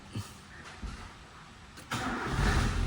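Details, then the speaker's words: Nissan Sentra, restarted after fitting a different replacement ignition coil; the earlier coil was suspected incompatible after a check engine code for ignition signal primary: a couple of short cranks, catches at once, steady run with no misses. "So napaandar na natin mga boss."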